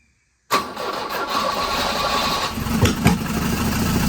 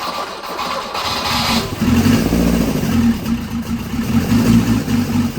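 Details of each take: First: 1983 Volvo 242, B23 engine, manual, converted from EFI to carburettors, 12 V confirmed at the coil: after silence it catches and runs ragged with loud thumps and uneven firing; owner suspects ignition timing is off. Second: Volvo 242 four-cylinder petrol engine converted to DCOE carburettors, after timing was backed off from spark knock; it starts on the key, revs slightly and settles to an even idle with no knock; idle may be set lower.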